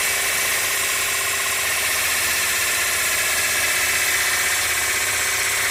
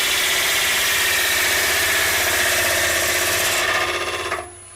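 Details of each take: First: Bowl gouge roughing out an ogee bowl on a lathe, bevel rubbing, handle leaned toward the leg, tool not forced: steady even hiss of cutting for eight seconds with no vibration or snap at the end; smooth cut with correct pressure. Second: Lathe turning an ogee bowl blank with an unflattened base and a big crack: rough, rapid chatter of about four beats a second under a high tool hiss as the lopsided, cracked blank spins out of true; vibration.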